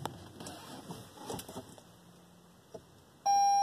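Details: 2021 Toyota RAV4 failing to start with door open, brake pedal to floor, dash showing battery low, not ready to drive: steady mid-pitched warning chime in quiet cabin; started after shutting door to reset.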